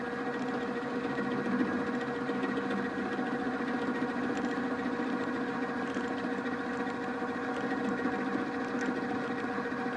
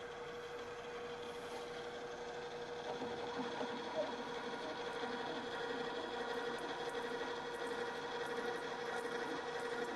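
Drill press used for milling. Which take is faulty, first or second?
first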